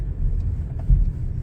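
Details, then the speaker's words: 2007–2013 Nissan Sentra after replacing all the subframe bushings with Problem Solving Bushings. Cornering now gives only low road rumble with no squeak or creak, where it used to squeak. "no squeaking sound when I come around the corner okay it's normally when I would squeak"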